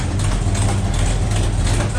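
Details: 1972 Buick Skylark with a freshly installed 427 V8 on first fire for break-in: deep, even burble at idle with a steady beat, no ticking or lope, healthy; exhaust has an open O2 sensor hole.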